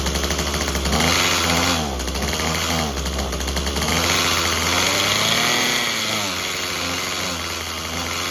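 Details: Craftsman WC 210 after replacing its broken electric starter: buzz that keeps surging and sagging, pitch wandering every second or so. It runs rough and unsteady and needs more tuning. Cause suspected, not confirmed.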